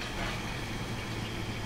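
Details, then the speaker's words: Audi B8 S4 with a MercRacing Pierburg CWA100 electric coolant pump, just installed and bled, running at 64 ramped up to 88. A steady low hum with even coolant rushing and no rattle or surging. The pump is audible and felt, unlike the silent OEM pump. "you can actually hear the pump running and the coolant circulating and you can also feel the pump moving as well you could not feel that with the oem unit"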